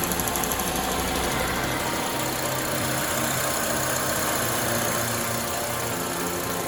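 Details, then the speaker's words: 2003 Honda Element, warm at operating temperature, after valve clearance adjustment (exhaust valves were too tight, causing P0301 cylinder 1 misfire, rough idle and stalling): idle now smooth and even, steady low hum, no stumble or miss. "all right cars warmed up operating temp the idle's no longer rough valve clearance adjustment exhaust valves were too tight that was the culprit"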